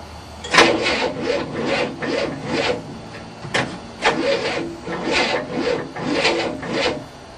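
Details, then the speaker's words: 1967 Cadillac that had not started in 30 years, with a new starter and booster batteries: slow, labouring cranking in uneven bursts, about two a second, with no firing. It ran briefly before, and now flooding is suspected with the choke being adjusted. "it smells flooded here I can't believe this [ __ ] thing was running I should have left it running"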